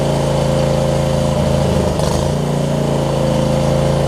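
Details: John Deere LX279 riding mower, liquid-cooled engine, just started after cranking with an empty carb bowl: rough at first, now a steady, even putter with one brief blip midway and no stumbling; runs cleanly.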